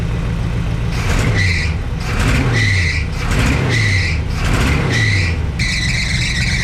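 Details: 1962 Chevrolet C10 V8 at idle, reading about 180 temperature, thermostat possibly not yet open; high squeal coming and going about once a second over steady idle from loose alternator belt slipping; belts later replaced.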